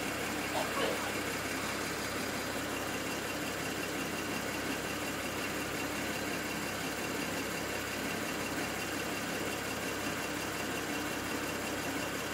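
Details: BMW N54 engine logged with IPNA: steady idle with a faintly uneven, stumbling beat under the hiss, engine missing at idle.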